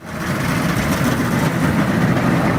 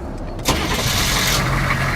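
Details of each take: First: Cheap auction military Humvee diesel at mile zero of a 1,500-mile drive home: loud, rough idle with an uneven chuffing puff over the engine note; noticeable crankcase blowby. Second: Humvee, started right after a battery was installed: the engine catches almost instantly on the first turn and runs straight into a steady, even idle. A clean, healthy start.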